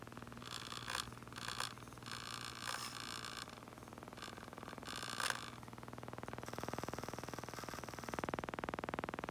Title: Mavic Pro - Gimbal strange noise